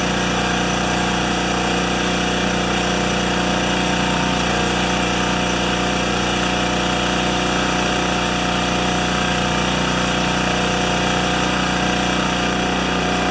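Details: Makita G2400R generator after fitting a non-OEM replacement carburetor, unloaded; steady, even buzz at constant speed with no surging or hunting, running the same RPM as before; owner hopes the carb won't leak; normal running.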